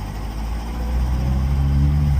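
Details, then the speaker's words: Car not yet up to temperature, oil pressure good: steady, even low idle with smooth firing and no knocks or misses. Idles lovely. "So, um I still like it it just idles lovely."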